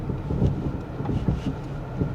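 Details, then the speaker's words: 2000 Toyota Camry V6 while driving: loose irregular rattling knocks from the rear over road rumble and wind, like rocks in the rear suspension; cause unknown. "It sounds like there are rocks in the rear end. I'm so serious. It sounds like there are literally rocks in the rear suspension of this thing."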